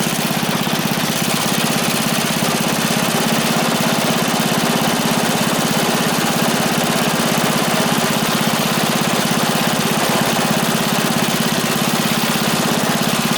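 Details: Free small single-cylinder engine revived with fuel added: steady even beat of roughly three firing pulses a second, no misses or knocks; running normally.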